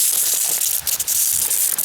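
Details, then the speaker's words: Continuous high fizzing spray hiss from pressurized water escaping at the bottom of a split drip irrigation coupling. The planned fix is cutting it out for a slip-joint connector. Drip line leak. "Yep. It's right at the bottom. It's right at the bottom of there. And if I had a plug, I could plug it."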